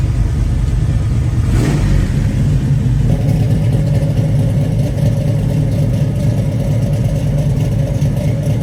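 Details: 1966 Chevrolet Chevelle SS, rebuilt 454 cid 7.4 L big-block, 4-speed manual, dual exhaust: short crank then fires into deep even rumble with steady pulses and strong clean revs; normal start, idle and rev.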